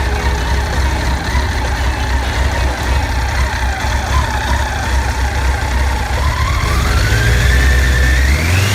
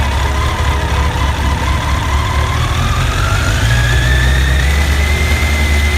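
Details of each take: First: Honda CBR1100XX after cam chain tensioner replacement: smooth even engine note climbing and falling cleanly through several revs with no rattle or ticking; running healthy. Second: Honda CBR1100XX at idle before repair: loose tinny chatter from the top end over the steady hum; worn cam chain tensioner lets the chain rattle, fixed by tensioner replacement.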